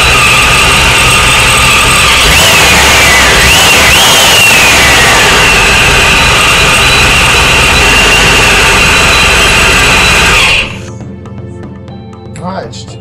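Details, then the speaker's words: Supercharged Corvette at its first start-up after base fuel pressure was set (target 40–42 psi, slightly rich for the supercharger): steady, even idle with a faint supercharger whine, no misses or knocks; runs healthy, though an FMU issue remains. "there you go man it sounds pretty good there's still some uh issues going on but for the most part it's alive"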